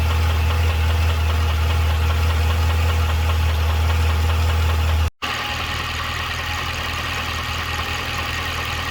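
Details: 2012 Cadillac CTS-V at idle: a steady idle with a regular, light tick of about four per second over the low rumble; ticking/knocking at idle, cause unclear.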